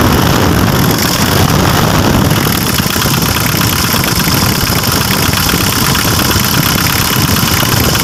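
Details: Mitsubishi L300 with 4D56 diesel, previously low on power and stalling, fuel pump assembly addressed; slow to start, then a steady, loud, even diesel clatter with no misses or hunting. Normal running.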